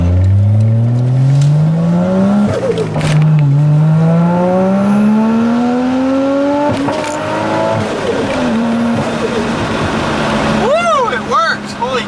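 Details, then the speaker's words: Car on its first test drive after resealing and mounting a part, tachometer not working. Under hard acceleration through the gears the revs climb steadily, then a sharp pop and brief hesitation come around an estimated 5,000 rpm. Cause not confirmed. "I know if you guys heard that pop and around like it would be like 5,000 no the tachometer is not working but whose word just hesitated a bit kind of just like pops like a flop"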